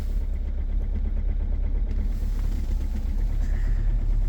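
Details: 2.0 HDi diesel with EGR off, just started at -22°C: rough, loud idle with a deep rapid clatter over the low rumble; strong cold-start combustion knock.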